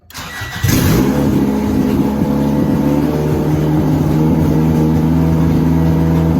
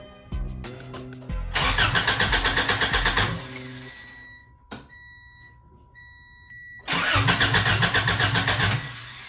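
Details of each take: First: Honda DC2 Integra after a fuel line fix, fuel pump primed, header not yet fitted. A short crank catches first try and settles into a steady idle after a quick rise, a normal start. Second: Honda DC2 Integra after fuel line repair with a new fuel filter, header off. First attempt to run fuel to the engine: two bursts of even cranking that never fire. Owner says it is not getting fuel. Crank, no start.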